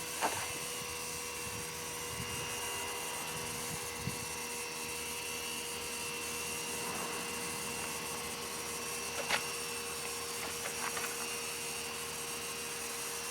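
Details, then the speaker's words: 1997 Geo Metro 1.0 leak-down test after a failed compression test, cylinder pressurized: steady faint hiss held over ten seconds, heard only in the oil side, not exhaust or intake; air leaking into the crankcase. "I only heard it I didn't hear it leaking out of the exhaust or the intake it only leaked in the oil so that's going to be through the valves"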